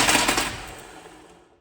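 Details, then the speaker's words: Nissan 240SX stock KA engine, newly turbocharged, seized on first start, cranked again: rapid harsh metallic hammering for about half a second then fading; severe internal knock, oil pan to be pulled to investigate. "Literally first start, it just gave up. This is not a good sound, guys."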